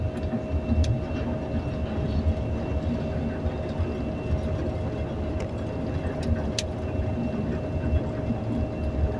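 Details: Second noisy elevator at Nathan Hale Gardens, heard while the car is moving: steady rumbling drive noise with a constant mid-pitched hum and occasional ticks; the source of the noise is unclear.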